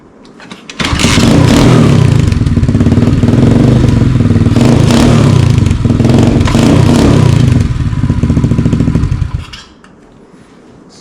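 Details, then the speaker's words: Cold start of a new budget Amazon dirt bike, small single-cylinder, throttle limiter screw backed out for full throttle: fires up and settles into a loud, slightly uneven rapid putter for several seconds, then shuts off; normal cold start, just very loud. "I'm going to start it right now real quick just so you guys can hear what it sounds like and then we'll go rip it around um it's very loud I'll let you guys know"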